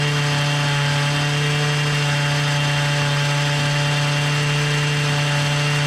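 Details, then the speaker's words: Hyundai two-stroke brush cutter engine drones at one flat pitch and never reaches full revs even with throttle adjustment, so the head spins slowly; air filter found wet with fuel. "Vay vay vay motor devri düşük Bu sebeple devirdi çukurun Galata maçı yormuyor kafa o sebeple dönüyor"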